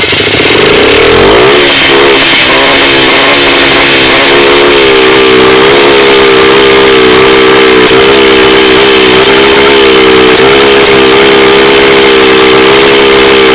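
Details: Polaris engine revs up, then holds with a ragged stumbling beat and popping, running unevenly; misfiring, cause unknown.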